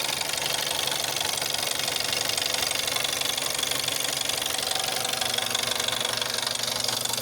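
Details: VW Jetta 6 1.4 TSI CAXA, 125,000 km, cold idle with fast even ticking knock about four a second, noticed since 60,000 km, worst after 3+ days unused, gone when warm; timing chain tested unstretched at 100,000 km; cause unknown.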